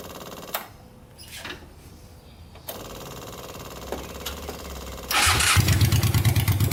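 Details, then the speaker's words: Honda 500cc engine swapped into a tractor, previously non-running, now running after wiring and fan-connection repairs; warm-up run after catching: quick, even patter with no knocks, a healthy warm-up idle. "All right, we're gonna let this thing run for a bit now that everything works on it, and let it warm up and see if any issues arise."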